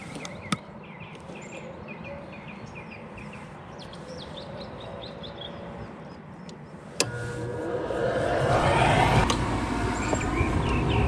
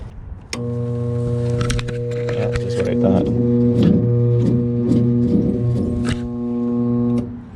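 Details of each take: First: Goodman gas-electric rooftop unit, no-heat call, after replacing the bad draft inducer motor: quiet outdoor background, then a click and the draft motor spins up to a steady rush as burners ignite; normal startup. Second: Second gas-electric rooftop unit, same model, no-heat complaint, heat called for test: loud steady hum with irregular rattling clatter; another bad draft inducer motor, to be replaced.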